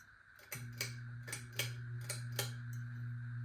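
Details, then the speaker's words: 52-inch unknown-brand bronze hugger ceiling fan (Harbor Breeze Caratuck River blade brackets, Hunter blades, Patriot Lighting Arthur motor housing) on low speed: steady low hum with light irregular ticking; loud hum, buzzing changes, owner suspects loose screws. "Yes, like I was saying, this fan does make quite a bit of a hum to it. Probably some of the screws are loose."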